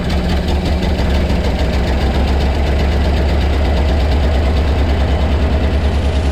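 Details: 1975 Ford F750 pipeline truck V8, restarted after sitting, fuel system primed, cleaner and stabilizer in fuel: deep uneven idle, loping irregularly about twice a second and struggling to settle; rough idle, improving.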